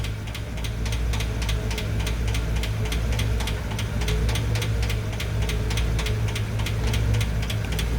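Sharp, even ticks about four or five a second over a steady idle rumble, a light valve train tick rather than a deep knock. Cause suspected, not confirmed.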